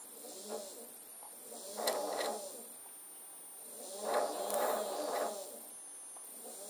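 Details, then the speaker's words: Skywatcher EQ6 telescope mount RA/Dec motor removed from the mount, gears spun by hand. Rough, grating whirring bursts that are louder than normal because the motor vibrates against the casing; it is then cleaned. "gears it's obviously a bit louder than it should be because it's vibrating against the casing"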